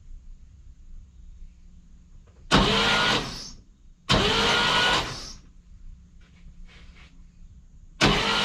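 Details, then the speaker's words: 1959 Cadillac project, stored 11 years, fuel line and coil disconnected, borrowed battery: steady, even starter whirr in short bursts with no binding, catching or knocking; engine turns over nicely, free and easy. "but that's turning over nicely seems free seems nice and easy"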